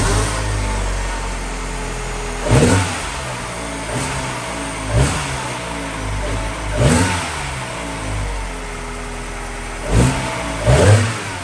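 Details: Mini Cooper R56 cold start after sitting overnight at 18.75 degrees, after fixing the cold-start misfire: engine settles into a smooth idle and takes several quick blips cleanly, no stumble or miss; fixed.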